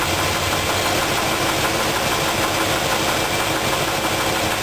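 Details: Rough, uneven idle with a dull knock about three per second while valves are tightened and loosened to rule out a lifter; rod knock from a bad rod bearing on cylinder two.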